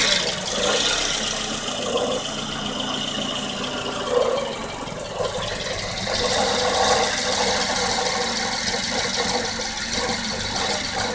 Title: 1994 Volvo 940 hard start/rough idle